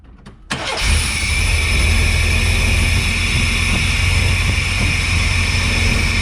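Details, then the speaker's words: 1993 Chevy Cheyenne work truck after a tune-up, ignition timing set by ear without a timing light. It catches after a short crank and settles into a steady but somewhat high idle with no backfire or obvious misfire: fast idle. "fire well it sounds okay I don't know how close I have the timing though we won't really know until we get it under load sounds like the motors running a bit fast"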